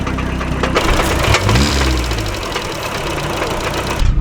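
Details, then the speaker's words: Miata just off track after the gearbox failed while drifting, second gear gone, clutch also suspected: loud engine with an irregular, intermittent knocking underneath, sounds rough; cause unclear. "Yeah. it's noisy. It is noisy. Yeah. damn, dude. That sounds rough."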